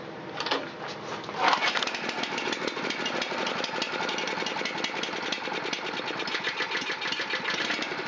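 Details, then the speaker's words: Honda GX270 on a NorthStar water pump, long-sitting no-start, after carburetor bowl cleaning, started on choke at full throttle: the engine catches, then settles into a steady, even patter with no misses or surging; a clean, normal idle. "There's a nice idle."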